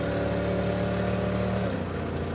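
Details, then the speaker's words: Super Camaro 350 cubic inch V8 on track: uneven stumbling misfire, running like about 220 cubic inches, down on power. "Oh, I can hear the misfiring of a 350 cubic inch V8 that's probably running on uh 220 cubic inches right now."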